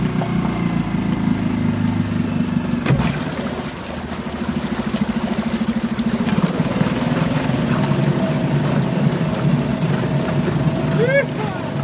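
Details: Suzuki DF2.5 2.5 HP outboard in water test after no-start repair, fuel valve and tank vent open: single cylinder putters at steady, even pace with water splashing; normal running.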